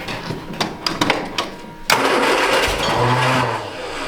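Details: 1967 MGB GT bought as non-running, Pertronix igniter: several uneven cranking bursts, then a brief rough catch that stumbles and fades instead of idling; cranks but does not start.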